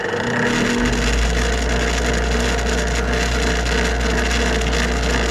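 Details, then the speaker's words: Trane furnace that won't heat, draft inducer motor with a dead spot, rotor nudged by hand to run: strong low hum with a rough scratchy rattle; bearings suspected worn and rotor likely rubbing the plastic housing, so the whole inducer needs replacing, not the capacitor. "right so that told us a couple things we've got a bad spot in it we can hear the bearings may be out on this our rotor is probably rubbing on our plastic housing"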